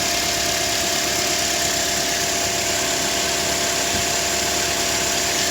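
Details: Toyota Corolla 150: steady, even idle with a smooth hum and light hiss, no knocking or rattling; engine running cleanly.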